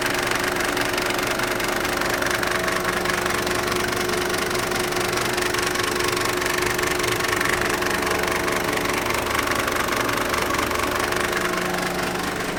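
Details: Mercedes OM602 diesel with idle turned down from 1100 to 750 rpm at the injection pump knob: rough idle, a steady knock about four a second, and a rattly noise near the belt tensioner and water pump. Cause unconfirmed.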